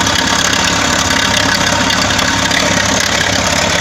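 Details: Loud idle with a rough, loosely regular tapping about four times a second over the engine note. Internal engine knock at idle; cause suspected, not confirmed.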